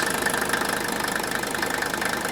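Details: Older Mercedes diesel, warm idle, oil filler cap loosened: even, steady diesel clatter with a soft, regular puffing as the cap dances lightly rather than jumping; crankcase pressure and blow-by are acceptable, a normal diesel idle.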